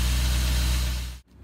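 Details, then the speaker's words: BMW E34 540i M60 V8 after timing chain tensioner replacement and fresh oil: smooth, even idle, really quiet with no rattles or ticking before switch-off; normal idle. "She's now really quiet now. Yeah. No rattles or ticking or nothing."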